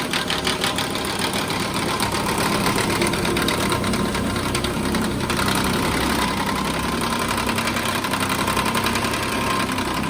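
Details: 2014 Nissan Pathfinder at idle: rapid, uneven metallic rattle and clank, suspected to come from a broken radiator cooling fan assembly, not confirmed.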